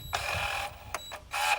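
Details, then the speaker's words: Auction-wrecked BMW 330i after valvetrain repair, diagnostic limit-position learn for minimum and maximum valve stroke: short whirring valvetronic motor bursts one way then back with clean stops; learn completed successfully, no faults stored. "after every repair on the valve GE the limit position have to be relayed for minimum maximum stroke so what it should do now is rotate it you should hear"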